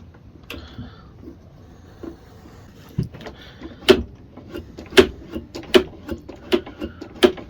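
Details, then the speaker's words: Mountfield HP474 lawn mower with RV150 engine (over-revving) safety microswitch after bending its tab: sharp, distinct clicks about once a second as the lever is worked; normal microswitch click, now fixed. "well you can hear that clicking now so hopefully that works now that's working now as it should for micro switch that's sorted"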